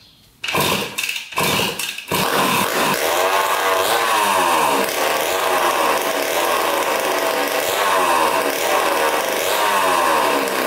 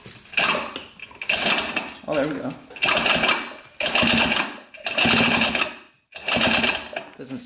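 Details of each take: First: 1980 Honda CR80 barn-find two-stroke dirt bike, first start with fuel poured into the carburetor and no exhaust pipe fitted: a few sputters, then it fires and runs crisp and very loud with clean rev blips. Healthy, just unmuffled. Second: 1980 Honda CR80 barn-find two-stroke, spark plug out, engine turned over: short bursts of rough, dragging, snagging spin, caused by the flywheel rubbing on a bent pickup coil.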